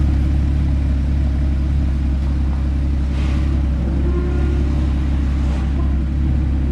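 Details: Rebuilt crashed Porsche Cayman GT4 flat-six with Immico exhaust, idling after first start following rebuild: deep, even burble holding a steady idle, no ticks, knocks or rattles; healthy and smooth.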